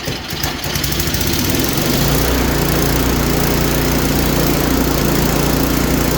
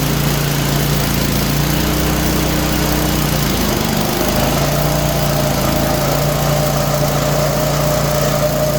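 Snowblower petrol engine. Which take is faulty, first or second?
second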